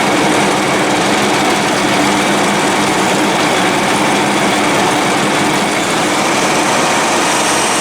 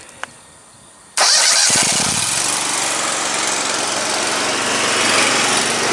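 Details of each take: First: 72-inch Dixon mower engine running loud and uneven, intermittently not firing on all cylinders, sometimes better after restart; owner suspects an ignition coil and plans to replace one. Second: 72-inch Dixon mower engine with an intermittent misfire, jump-started: it catches after a brief crank and settles into a steady, even run with no misfire.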